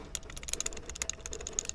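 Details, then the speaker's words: 2012 Subaru STI old reverse lockout collar on the shifter, lacking the new part's O-rings and lube: light, irregular metallic clicking, several a second, rattling loose. "you can hear this one rattles the new one actually has O-rings in it and comes with Super Lube so it won't rattle on the uh shifter itself"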